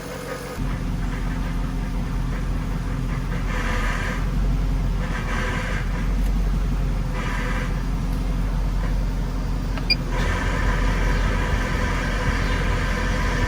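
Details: 1998 Jaguar XK8 at idle: low grinding rumble like a dragged metal pipe, worse with AC on or steering turned, gone at higher rpm; absent with the belt off, so a belt-driven accessory is suspected; tensioner pulley felt rough and was replaced.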